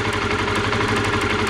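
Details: Honda CBR125R single-cylinder, high-pitched ticking heard while riding, sparks seen at plug lead: steady idle with sharp high ticking on top; spark leaking from a rusted, corroded plug lead/cap, temporary fix applied, lead replacement suggested.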